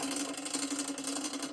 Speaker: you're hearing now is cross-chaining. The chain's rubbing the outside cage because we're on the inner ring over here and the outer ring back here.